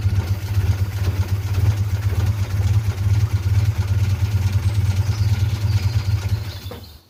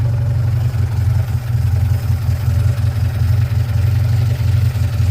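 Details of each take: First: 1947 Austin 16 off the road since 2008, first start attempt: steady low cranking at about two turns a second that never fires; fuel pump was not pumping fuel, so it was removed for a rebuild. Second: 1947 Austin 16, first start in about 17 years, with only a rebuilt fuel pump, original cleaned points and condenser, a little choke: a deep, fairly even low four-cylinder throb with no knocks or misfires; normal running.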